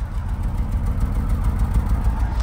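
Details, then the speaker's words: Vauxhall 1.4 petrol at idle, engine management light on, P0300 misfire: deep, uneven exhaust chuff with irregular beat, engine shaking and light blue exhaust smoke; misfiring cylinder to be identified via live data. "e the engine management lights on it's coming back as misfire um the engine shakes so and there is smoke as well like a light Bluey smoke is not detected exactly"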